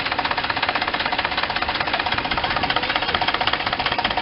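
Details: 2006 Cadillac STS, 118,000 miles, spark plugs already replaced: a fast, even knocking from under the hood at idle, source unknown; owner plans to replace the PCV, maybe the oxygen sensor; knocking later stops and runs smoothly.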